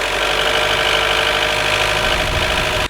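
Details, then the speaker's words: High-mileage Mazda Miata with bad valve cover gasket leak, lost over half its oil in under 2,000 miles: harsh clattery idle with hard metallic edge; knocking from low oil level, before gasket replacement. "And then I lost more than half of my oil capacity in under 2,000 miles, which started making some pretty scary sounds for a minute."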